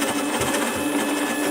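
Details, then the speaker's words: Prototype 3D-printed RC robot drive, motor driving wheel hub: steady geared motor whine with faint uneven flutter; motor wobbly on its bracket, another bracket needed. "actually the motor on the brake is quite wobbly I'm gonna have to make another little bracket t"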